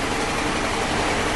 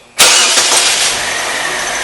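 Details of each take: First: 2006 Saturn Ion at idle, code P0300 random misfire, with cylinders 2 and 3 not firing on the scanner. Lumpy, shaky idle with a dull, uneven chuff, like running on only two cylinders. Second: 2006 Saturn Ion after repair of a random misfire (P0300, cylinders 2 and 3): quick crank, then a steady, even idle with no stumbles; misfire counter reads zero, running normally.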